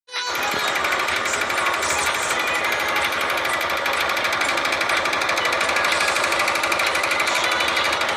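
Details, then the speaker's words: Honda Titan 150 motorcycle engine noise: fast rattly tapping, about three a second, over a busy single-cylinder idle; slight play in the connecting rod, a light rod knock. "Tá só assim a bielinha, velho. Só um estraladeirinho."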